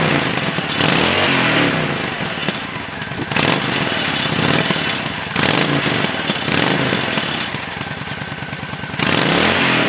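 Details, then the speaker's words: 1997 Honda VT1100CH V-twin, revived after sitting 3 years, with varnished carbs cleaned and varnish removed from the front piston, tight float setting. It pulls cleanly through throttle blips and drops back to an even, lumpy idle with no popping, so it runs normally. "But anyway, that's that one up and running."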